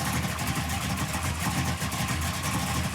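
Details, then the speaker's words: 1967 Pontiac Firebird V8 (new Holley Dominator carb, plugs, wires) idling after fixing oil-pressure problem from a botched distributor install; earlier squeak feared damage. Lumpy but even idle, no squeak, knock or tick; engine healthy, oil pressure present. "The question now is, does the motor still squeak? Because we already damaged it. I hope not. Got oil pressure?"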